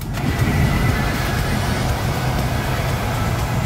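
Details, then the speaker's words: RV furnace after repair, power restored, gas still off, thermostat set above room temperature: steady rushing blower comes right up and holds even as the igniter clicks, attempting to fire up; normal light-off attempt. "click good we've tested it it's uh trying to fire up so I'm gonna go ahead now and put everything back together"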